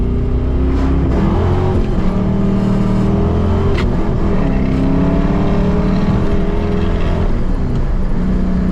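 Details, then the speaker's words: Ford V8 with GT40P heads, likely alphabet cam, GT40 tubular intake and long tubes, after timing fix, vacuum leak repair and TPS adjustment: deep rumble, smooth revs, choppy cam lope, no vibration. "Now the car actually lopes, so it's pretty interesting and pretty telling. And it's also just fantastic driving it now, not having any vibration."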